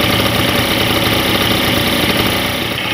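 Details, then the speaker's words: Pegasus Sky 50 two-stroke scooter after light accident damage, listened to from the footwell: busy, even idle rattle without the strange noise heard earlier or odd knocks; sounds healthy. "das war schon mal nichts wie das immer so ist der vorführeffekt das hört sich alles sehr gut an"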